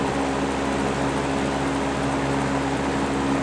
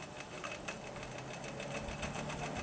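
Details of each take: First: GE W 25 box fan after repair of worn single bearing that let rotor hit stator, running on high: steady even mid-pitched hum, no rattle or wobble, slight normal motor vibration; rotor no longer hitting. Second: GE W 25 box fan, worn single bearing let rotor drop and hit stator; after oiling and reassembly, first test on low speed: quiet hum with faint irregular light scratches, rotor catching leftover metal shavings that need more cleaning out.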